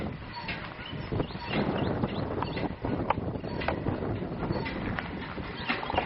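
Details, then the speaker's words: Empty RK Drums 4 lb drum turning on the motorized rotisserie during gas grill preheat; uneven hollow knock about once per rotation over burner rumble as the drum flops loose on its rod. Harmless; center-punching the drum flange tightens it. "So my drum is flopping around just a little bit on the rod, so you can hear it kind of every rotation or so. You can hear it kind of hitting the rod, but that's fine. It's not going to hurt anything."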